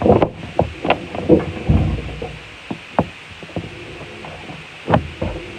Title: Washing machine making noise